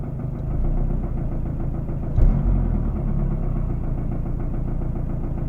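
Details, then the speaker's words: Mazdaspeed 3 warm at idle, about 27 minutes and seven miles of driving: low, even rhythmic thumping with one heavier knock, rate rising with rpm; owner suspects timing chain slap, unconfirmed. "that dumping and it changes as i'm i'm driving if i'm at a higher rpm of course it's a little faster and if i'm uh at a lower high rpm or if i'm idling it's a little lower"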